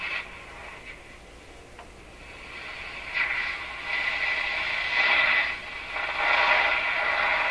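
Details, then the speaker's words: Northern Electric Model 5200 Baby Champ tube radio after restoration, outside antenna connected: station audio steady and fairly clean with light hiss; reception noticeably better. "Let's put the outside antenna on. Well, it seems a lot better, doesn't it?"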